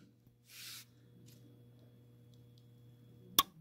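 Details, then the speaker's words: Hotpoint HHM5SM freezer: low steady compressor hum then a sharp click as the overload trips, repeating, because the bad start relay isn't starting the compressor. "and that click and it'll do it again in a few seconds i'm not gonna wait it's probably gonna be 20 or 30 seconds but it'll it'll hum again and then click so from what i from what i know when it clicks like that it's it's not engaging"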